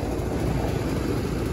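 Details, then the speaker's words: Old Rheem Classic AC condenser running after new capacitors fixed a no-power fault; steady even low hum from compressor and fan with no clicking or buzzing; owner calls it an old tank still running; normal operation. "old tank i'll tell you that for a fact but she is still running and that's absolutely beautiful"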